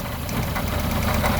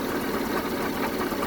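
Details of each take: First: 1974 Honda Civic series 1 Mk1 with a rough idle, spark plug leads pulled one at a time with a plastic tool: idle pulses stay even with no stumble, so this cylinder is firing properly. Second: 1974 Honda Civic Mk1 running a rough, uneven misfiring idle with a rapid puffing chuff from an exhaust leak at the back, during spark plug and compression testing.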